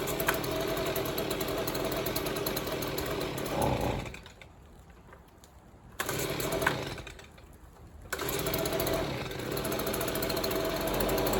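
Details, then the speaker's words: Free Stihl leaf blower two-stroke: buzzes, sags twice and picks back up unevenly; it runs, but the idle and fuelling still aren't right. "so I adjusted this three quarters of a turn out from all the way in and now it idles perfectly but it still won't rev High"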